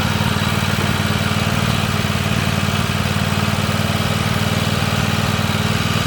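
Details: Free Weed Eater garden tractor, Tecumseh TVT691 two-cylinder, just refreshed with fresh oil, new oil filter and oiled cylinders, first run on gas and warming up: steady even chug at roughly four pulses a second, no misses or knocks; normal idle.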